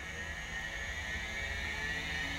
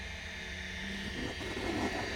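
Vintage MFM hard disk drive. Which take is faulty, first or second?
first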